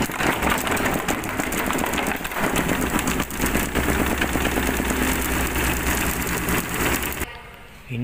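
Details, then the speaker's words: Mesin cuci WH 1092 Lux Royal after error E52 fixed: steady, dense whirring rumble of a fast drum spin ending in a few short beeps; spins evenly, loud but normal. Normal spin. "begitulah Mesin cucinya sudah bagus suaranya gede"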